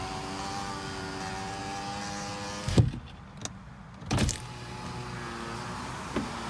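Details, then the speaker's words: 2010 Toyota RAV4 driver's window after silicone grease on the rubber: smooth, steady motor hum, brief thump at the stop, no grinding or labouring; much faster than before, normal power window operation. "All right, let's do it one more time. Go up and down. Wow, much faster. Much faster."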